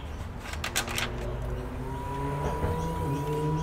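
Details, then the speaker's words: PC with a Gigabyte GA-F2A55M-DS2 board and R9 270X GPU that crashes randomly: faint, thin, steady whine from inside the case persists after disconnecting DVD SATA power and with a fan stopped; source still unknown. "So when I turn it on, you may be able to hear a whining sound."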